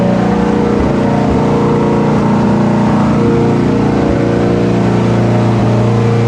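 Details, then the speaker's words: AWD Civic Type R build, second brief run after rewiring with no cooling system installed: smooth, even idle with steady firing and no knocks, misses or ticks; fired right up, healthy. "well boys somehow the car still runs after all of our wiring Shenanigans fired right up no issues"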